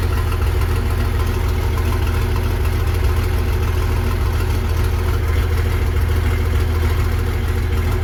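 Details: Versatile 800 diesel tractor running again with its muffler removed; a loud, deep, unmuffled drone with a steady rapid pulse and harsh bark. Open exhaust with no muffler.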